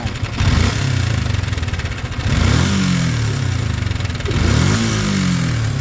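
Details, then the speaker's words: Sniper 155 motorcycle at 170,000 km; uneven top-end clatter over idle rising with light throttle blips, not the tensioner; mechanic suspects cam bearing, possibly cams and rocker arms too. "So pang ibabaw yan. So malamang sa malamang cam bearing pag mga ganyan tunog, ano po, pakinggan nyo mabuti,"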